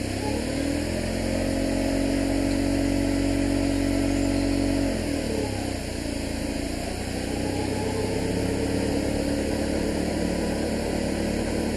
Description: Class 33 diesel engine 33053 leaves Alton in great style, passing an incoming steam service before breaking down (@ 2.05 mins) and making a noise like a hoover.